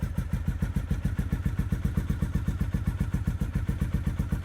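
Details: Triumph T100 twin just started after sitting in the garage most of the year: even, regular exhaust thumps about four per second with no misses or knocks, settling into idle; normal idle.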